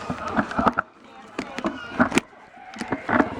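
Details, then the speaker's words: Hello Kitty two-seater Power Wheels toy car: rough grinding and ratcheting clatter in uneven bursts as the gearbox gears slip from an egged-out shaft hole, fixed with a bronze radial bearing (1/2" ID, 1-1/8" OD). "the problem with it is that the gearbox is making grinding noises and the grinding noise we're gonna hear is standing by you may have this problem and it makes this grinding noise"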